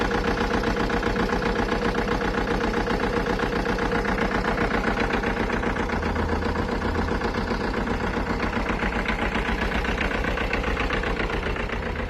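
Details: 2011 Alfa Romeo Giulietta petrol engine at idle with an uneven, regular knocking beat about four per second and a rough, stumbling misfire rhythm; cause unknown.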